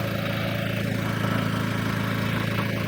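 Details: Onboard RVMP 5500 generator on a Brinkley 3950 Model G RV, just oil-changed and converted from LPG to onboard gas tanks, running on gasoline: steady even drone, smooth low thrum, no stumbles or knocks; ran about 20 minutes with everything good.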